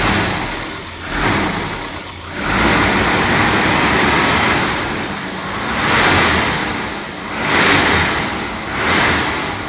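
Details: Volvo 740, long-standing rough idle when cold started: idle hunts, rising and sagging every couple of seconds instead of holding steady; if really cold it dies altogether but restarts fine; wet spark plugs noted.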